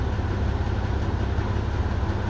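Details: 2001 Mazda 626 2.5L after replacing dead injector: low steady idle with even beat, no misses or stumbles; short-term fuel trim bank 1 down from +30 to 6 to 15; normal idle.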